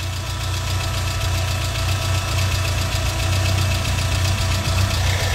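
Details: Restored Renault Super 5: an uneven low idle beat under a steady airy whoosh from the radiator fan. The fan now triggers properly after a forgotten temperature-sensor wire was connected.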